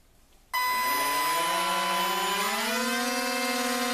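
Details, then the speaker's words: RC model on a brand-new 300 mAh 1S LiPo replacing tiny older cells that caused receiver brownouts past half throttle: motors spin up sharply into a strong steady high whir, thrust pushing the hand; normal full-throttle run. "to that whir, that is pushing it out. That is going to make it work. Oh yes, pushing my hand."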